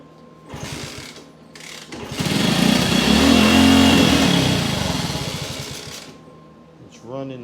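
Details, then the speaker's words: 1964 Honda C200 motorcycle revived after sitting for years, kick-started on auxiliary fuel tank with carb cleaner and choke: catches and runs a few seconds with rough revving, then dies; owner suspects the carburetor or idle setting, unconfirmed. "not staying running could be carb leave the choke on I don't know what my idol is set at"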